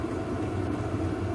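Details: VEVOR 8 kW diesel air heater heating an uninsulated 20 x 30 ft workshop: even low exhaust rumble with a steady hum, no pulsing or rattles; normal running.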